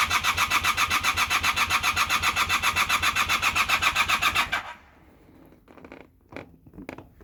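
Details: Honda Super Dream: steady, fast starter churn of about 220 per minute for four seconds with no catch or firing, then it drops out. Cranks but won't start.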